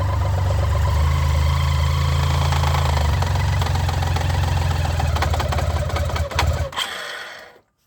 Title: BMW k75 RT. Metallic clicking noise at low RPM